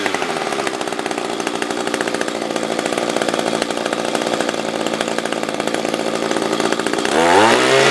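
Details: SRM-210 trimmer after carb replacement with new fuel filter, plug, fresh gas and handle: steady, even high-speed two-stroke buzz with no stumbling or surging, pulling cleanly; normal running.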